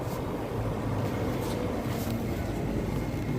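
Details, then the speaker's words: Daikin R410A split air conditioner after replacing the capacitor: steady low hum and rumble with no clicking or stalling; compressor running normally and cooling again. "dan kompresor sudah berjalan normal."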